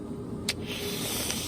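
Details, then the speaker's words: Diesel heater: a soft hissing whir rises and holds under a low hum; owner suspects a worn fan motor, needing a new motor or rebuild kit, and plans to replace the whole heater kit. "yeah you best have either um a new motor because I'm gonna have to look that up um either have a new motor or a rebuild kit to tear this thing apart and rebuild it"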